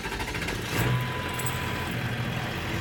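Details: Early 1999 Ford Super Duty 7.3L Powerstroke diesel after TS 6-position chip install, in stock position: steady, even diesel clatter at idle, no misses or odd knocks; idling normally.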